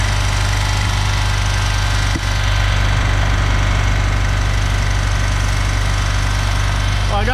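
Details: 318 V8 in a 1974 Dodge W200 while water and then ATF are poured into the carburetor: heavy, uneven chugging at low speed with a dull, irregular knock; rough running.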